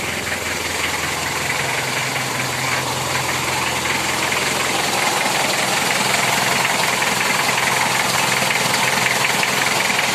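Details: Kia Sportage 2000 converted to a Mazda R2 diesel, after fixing the fuel supply fault that stopped it: even idle with the usual light clatter, no stumbling or dying; normal diesel idle.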